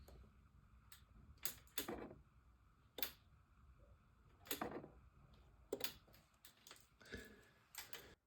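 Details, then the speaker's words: BMW R1200C cruiser motorcycle at key-on: irregular sharp clicks from inside the fuel tank with no pump whirr, a failed fuel pump; swapping relays and fuses made no difference. "And there's definitely that clicking sound that we can hear is coming from inside of the tank."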